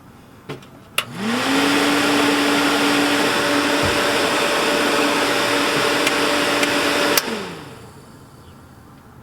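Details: RV stove hood vent fan with a replacement motor spins up to a steady loud whir and droning hum, then winds down; the motor does not sit properly, quieter than before but still too loud, another fan ordered.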